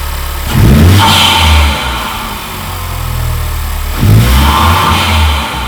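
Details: 2019 Honda Civic Type R FK8 just after fitting an AFE Takeda intake: starts cleanly into smooth idle, then two quick rev blips rise and fall evenly with light intake whoosh; normal start and rev.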